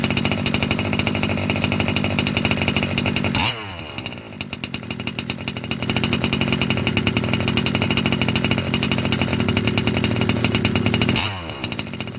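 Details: Losi 5B TLR with OBR 34 two-stroke engine, first fire-up after bottom-end rebuild for a failed crank bearing: high even buzz rising and dropping cleanly with throttle, no rattle or grind.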